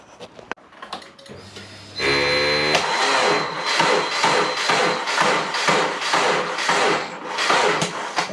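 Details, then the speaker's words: Twin-turbo Subaru Forester: a slow, labored crank at about two turns a second that never catches. A weak battery is suspected, not confirmed. "nah I don't think it's happening tonight all right guys so what I'm going to do is I'll take the battery out of the boot and we'll charge it out of the car"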